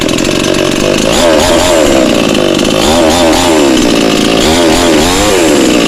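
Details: Cheap model 5200 two-stroke chainsaw, freshly started after choke use, only carb idle/throttle screw turned down slightly, mixture needles untouched: buzzy note rising and falling smoothly with throttle, no stumbles; running normally.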